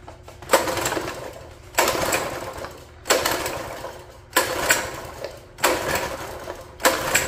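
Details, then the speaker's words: Free mini bike: six pull-start rasps without firing; found wet inside, owner suspects water got in, later thinks it's not getting fuel or is cold after sitting an unknown time. "I think some water's got in there see if it's full of water going to say it's full of water oh yeah she's wet"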